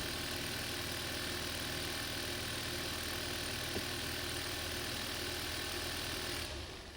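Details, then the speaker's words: 2012 Hyundai Veloster manual, G4FJ 1.6 turbo, first start after engine teardown and reassembly for a knocking noise (new injector fitted): steady, even running with no knock or tapping until shutoff; engine sounds healthy, possible fuel leak feared. "so far so so good so far so good guys that's a good noise that's a good sound that's the expression of a happy face start it starts and I think there's no knocking noise"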